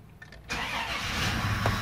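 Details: 1997 Dodge Caravan, previously no-start from bad contact in harness ground, temporary battery, in Park: short crank then catches at half a second and settles into steady even idle; clean start after repair.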